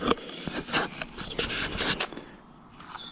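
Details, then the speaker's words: Hyper Explorer budget mountain bike, front disc brake: light rhythmic scraping with each wheel turn as the pad barely grazes the rotor, uneven light gap; caliper needs adjusting. "the sliver of light between the pads and the rotor is not straight and it's just barely the path is barely grazing the rotor"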